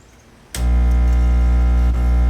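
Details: Battery charger that tripped breakers, after power cord re-terminated, switched on at 12 volt, 2 amp charge with leads disconnected: loud steady low mains-pitch hum, no short circuit; plain transformer hum.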